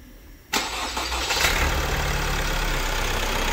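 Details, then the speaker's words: Opel Insignia 1.6 136 diesel at about 154,000 km, after timing chain replacement for engine noise: cranks, catches instantly and settles to a steady idle with no chain rattle or slap, sounding healthy. "Aracımızın otoban testine çıkacağız aracımızı sesi on numara bu şekilde yaptık"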